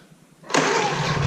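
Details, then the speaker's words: Small quiet generator with eco throttle that powers the cabin almost 24/7, started with fuel on and choke: catches on the pull and settles into a steady, even, quiet run; normal start. "it's just a real quiet generator this is how it runs when it's powering the cabin pretty much 24/7 and as you can tell I'm sitting right beside it and it's it's really quiet"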